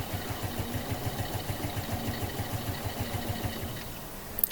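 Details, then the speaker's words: Suzuki Smash 115 motorcycle started on button after sitting 4–5 days during a typhoon, before spark plug removal: weak, uneven putter around three beats a second that sags and dies; stalling after cold start, not so when new. "ayun, patay siya guys. So, ganyan ang nangyayari sa kanya."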